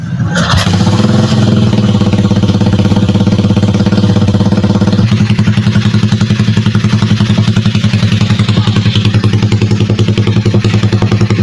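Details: Euro 150 motorcycle, previously hard to start and stalling on throttle, after adjusting the fuel screw from 3.5 to 2.5; it idles steadily with an even low thump and picks up briefly on the throttle. Fixed.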